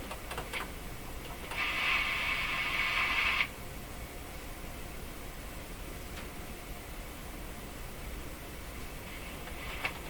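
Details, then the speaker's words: Hallicrafters S-40A shortwave receiver being tuned very gently without shaking: a brief hissy, scratchy burst as the dial turns, then quiet hiss; owner suspects it is breaking into oscillation or tuning-capacitor blades rubbing, and plate contact is not found. "turning this just as gently as I can trying not to shake the radio at all it sounds like it's breaking into oscillation"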